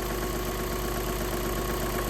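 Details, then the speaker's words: Škoda engine checked for a reported knock (client suggested pulling the cylinder head): even, steady warm idle rumble with no knocking or ticking heard; a cold-start recheck is planned for next morning. Normal idle. "Хіба попробуємо ще завтра зранку прям на холодну, холодну завести, послухати. Ну, я не чую нічого."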